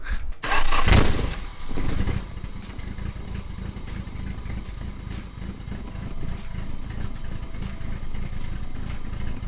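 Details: Off-road Nissan 240SX after tightening the intake and hoses: a short crank and catch, then a low, uneven idle loping at about four pulses a second, unchanged by the fix; a vacuum leak or slightly off timing is suspected.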